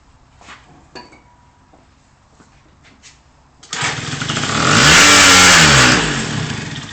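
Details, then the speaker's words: 2001 Yamaha Vino scooter after top-end rebuild (cracked piston, no compression); carb and fuel flow checked, new plug, spark verified, airbox off: cranks, fires on starting fluid, revs briefly with rising buzz, then bogs down and dies; cause unknown. "as you can see it kind of you know revved for a little bit but then it just bogs down"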